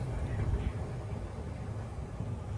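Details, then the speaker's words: Rheem Stellar 360 hot water system, heard on closing the water isolation valve; deep, uneven low rumbling with irregular surges, a sign of sediment and a tank overdue for a major service (anode replacement and flush). "you hear that rumbling noise? That's a sign that the tank is overdue a major service."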